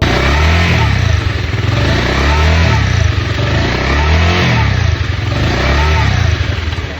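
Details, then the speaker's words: Honda CBR250R fitted with a CBR250RR stator coil: revving engine with faint humming whine rising and falling with throttle; no charging, stator output only about 4–7 volts even when revved. "Ada suara dengung ketika motor bekas seperti Vario yang menggunakan mangkok kartel"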